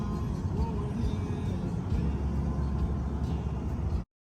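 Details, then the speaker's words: 2014 RAM 1500 on highway test drive after replacing worn left front wheel bearing: steady low road rumble, no growl or hum rising with speed; bearing noise gone, normal cruise. "Alright, so I'm on the highway and the wheel bearing noise is definitely gone now. It sounds good."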